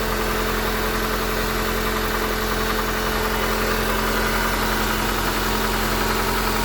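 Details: Honda Accord 8th generation, valves adjusted 15,000 km earlier, 5W-30 oil; faint regular tapping about two per second at idle, louder cold, reduces when warm but still heard at 2000–3000 rpm; engine knock, source unclear.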